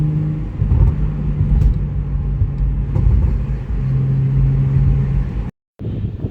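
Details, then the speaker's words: Car exhaust with all four rust holes patched with license-plate patches and hose clamps: deep, steady rumble swelling with each rev and settling back, no rasp or puffing; much quieter, more low-end power, sealed. "Like, it's great. It's so much quieter and there's so much more power in the low end."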